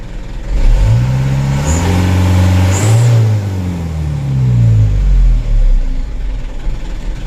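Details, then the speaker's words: Mitsubishi Canter 136 PS HD, 78,000 km, idle will not hold 600 rpm and must sit below it: revs rise, then jerk and stumble as they fall before settling back to idle; a light engine fault. "Kalau mau turun itu jeglek dulu teman-teman, ada jeglek dulu baru antang begitu, baru turun."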